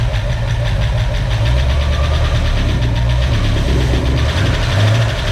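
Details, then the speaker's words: 1965 Ford Mustang V8 with new Speedmaster heads, first start after rebuild, temporary fuel system: fast light ticking from used lifters pumping up with oil over a rough, lumpy idle that sounds like it's missing; lifters slowly quieting. "it's running the lifter are all making noise they are used lifters"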